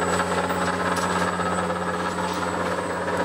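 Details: 1940s A.G.E. three-phase antique motor, possibly with sleeve bearings, running at normal speed after the pulley was loosened on the shaft: steady, even hum with a clean low tone and faint high whine, no knocks or rubbing; runs well, normal running.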